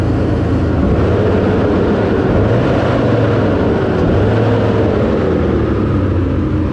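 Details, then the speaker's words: S10 after PCM swap, checking whether earlier popping remains: throttle blips rise and fall cleanly over deep exhaust rumble, no pops or backfires, more responsive; engine healthy. "wait for it to heat up and uh give some exhaust or give some gas on it and figure out if it pops anymore"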